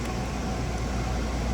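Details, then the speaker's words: RV rooftop heat pump (6538), running in heat pump mode after switching from A/C: amp draw changed with reversed refrigerant flow. Even low hum and steady airflow rush, no clicks or rattles. Normal heat pump operation. "All right, so we're going to let it run here for a few minutes. You can see the amp draw changed on that, just because it's reversing the flow of Freon here."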